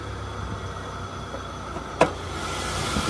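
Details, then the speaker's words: Camaro with 90,000 miles at idle: faint steady squeal with unchanging pitch and a smell of rubber. An accessory pulley is seized and the belt is slipping over it; the alternator was also considered. "great motor man and that noise I'm hearing could either be the alternator but more than likely it's the pulley and I'm actually smelling a little rubber yeah look at the pulley look at the pulley the pulley's not moving so let me shut it down before the belt breaks"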